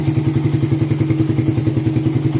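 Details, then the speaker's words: 2014 Suzuki Satria FU bored-up single: an even, steady idle with no hunting or misfire. Normal idle; the pilot jet setting is judged correct, and the header still leaks slightly. "Untuk settingan pilot jet sudah pas."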